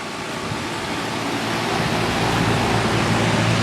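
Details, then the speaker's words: 2004 Armstrong Air Concept 1.5-ton 10 SEER R22 air conditioner with Copeland scroll compressor, hot day: steady airy condenser-fan rush over a soft even compressor drone, no knocking or rattling; suction line not cold, liquid line burning hot; quiet, normal running. "It's matched up to an Armstrong furnace, which is up in the attic. It's very quiet."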